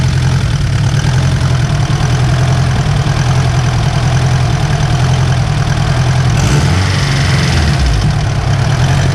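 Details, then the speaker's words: Honda S2000 turbocharged on stock engine internals, at idle then a quick rev: light metallic rattle that follows engine speed; engine rattle, owner suspects tensioner and plans to replace it, cause unconfirmed. "Yeah, you can hear a little rattle. There we got 10 going up. So yeah, that's more or less the noise. Just a little rattle."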